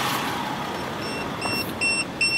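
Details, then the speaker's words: B-Qtech DIY tire pressure monitoring system, heard inside the vehicle after one valve-cap sensor is unscrewed: sharp high-pitched beeps in repeated bursts as the monitor reads zero pressure. This is the low-pressure alarm, and the tire was really about 33 psi. "now that it's not measuring any sensor I can hear it inside my vehicle the alarm going"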